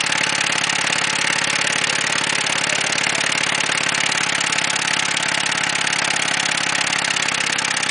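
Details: Ford Taurus petrol engine idling with no oil in the pan: steady, harsh knock about three to four times a second, rod knock; it ran until it seized and stalled.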